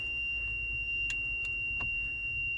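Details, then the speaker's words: 1993 International 9200 with N14 Cummins, no-start truck sitting since 2008, ignition on, engine not running, during diagnosis: steady high-pitched tone of the low air pressure warning buzzer. "sorry about that low air pressure light or warning buzzer you see that yellow right there that's engine warning"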